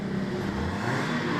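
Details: Fiat Mobi 1.0 with check engine light and catalyst efficiency DTC: loud raw hollow exhaust roar as engine revs, strong exhaust noise from missing catalytic converter.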